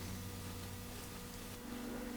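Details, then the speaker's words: Harrison universal milling machine being serviced and test-run: the main gearbox now gives a steady, even hum with a faint constant gear whine. The earlier grumbling is gone, so the owner suspects the main gearbox was the main problem. "actually that sounds a lot better since I started out the grumbling on the main gearbox so maybe that was the main problem"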